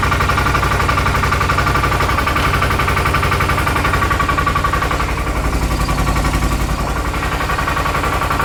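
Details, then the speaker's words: 2018 Odes Dominator 1000 X2 LT V-twin, low power, max 24 mph: lumpy, uneven chuff about four beats a second at idle, running on one cylinder. Rear cylinder stays cold (102 vs 200); spark or fuel suspected. "I can still tell you something's going on with a real rear cylinder it's not getting hot current one's already 200 the rear is 102 I can put my hand on it nothing at all"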